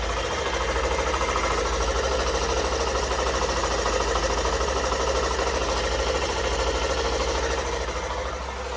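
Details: Hero Super Splendor BS6 i3s, 4321 km, after rocker arm and pin repair (worn from no engine oil) and timing set: steady, even single-cylinder idle with light regular patter, no clatter or knock.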